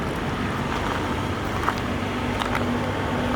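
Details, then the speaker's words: 1992 Lincoln Town Car limousine after cleaning the idle air control valve: quiet, smooth, even idle with no more air-leak hiss when revving, slight exhaust crackle; engine running cleanly. "Elle tourne super bien. Le silence était déjà remarquable et là c'est encore mieux. Il y a plus le bruit de fuite d'air quand on accélère."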